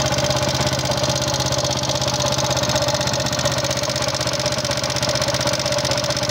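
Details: Yamaha Jupiter MX King fuel-injected single, before teardown: coarse, uneven ticking rattle about four clicks a second over the exhaust, thin smoke; wear of piston, rings, valve seals or guides suspected, unconfirmed.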